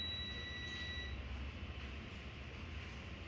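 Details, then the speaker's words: HP laptop motherboard DA0P5HMB8J0 with an on/off problem: a continuity tester beeps steadily for about a second on a capacitor that should stay silent, showing a rail shorted to ground. An RT-series IC is suspected and was then replaced. "यह beep कर रहा है, लेकिन इसे beep नहीं करना चाहिए था। लेकिन देखिए, मुझे यहां एक बीप सुनाई दे रही है।"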